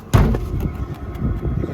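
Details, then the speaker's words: Mudiro 8 kW diesel workshop air heater, newly installed with inlet filter and ducting hose, first run on medium heat: fan and fuel pump running, then low uneven chuffing from the unsilenced exhaust outlet outside under soft rumble; burner running normally. "You can hear the fan and the fuel pump running, and then outside"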